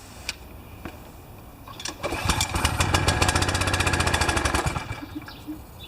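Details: Pressure washer not started since last fall, with oil changed, a new air filter and a clogged bolt cleared: after a few pulls it runs about three seconds with uneven coughing, then dies. The choke lever had been tampered with, leaving the choke stuck on.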